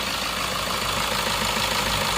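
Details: Suzuki Ertiga common-rail turbo diesel, just restarted after an engine teardown that began as an oil-leak fix: even, steady idle clatter with no knocks or misses; problem solved.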